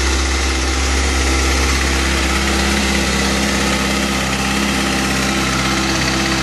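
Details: New 2013 Kawasaki ZX-6R at idle: fairly loud, quick tick about three per second riding over the engine; owner concerned, cause unknown.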